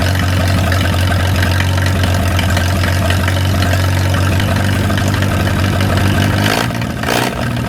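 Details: 1937 Willys four-cylinder flathead generator engine, revived after decades sitting outdoors, started after fixing a leak and left to warm up: steady, even idle with a low rumble, runs cleanly, then dies off near the end.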